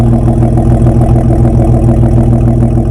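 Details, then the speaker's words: S10 truck engine at about 218,000 miles after exhaust manifold replacement that fixed a clicking exhaust leak: deep, even exhaust burble at steady idle with no ticking or puffing; manifold sealing, engine healthy. "now my exhaust sounds really nice and crisp you don't hear anything in the motor you just hear it all exhaust so you don't hear any of that click click click quack quack with that exhaust leak"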